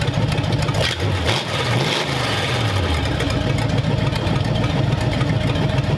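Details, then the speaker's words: Hopped-up flathead V8 for a 1932 roadster, about 10 minutes into running, 70 lb oil pressure, temperatures around 170–177: deep steady burble, one throttle blip, then a smooth even idle; runs healthy. "we're like 10 minutes into running and we're at 70 lb oil I think it's got good oil frasure I think it's all right there"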